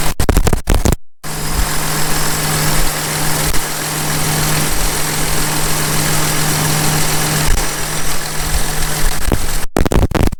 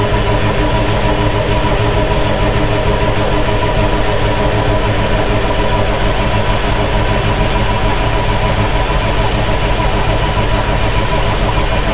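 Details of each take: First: John Deere 6170M tractor diesel, first start after an engine rebuild, not yet warmed up: it starts and settles into a smooth, even, deep idle with no knocks or misses, with hardly any blow-by; normal idle. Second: John Deere 6170M tractor diesel after an engine rebuild, on a NOCO booster: steady, laboured cranking at about two beats a second that never catches; an untightened common-rail line was bleeding off rail pressure, causing the no-start.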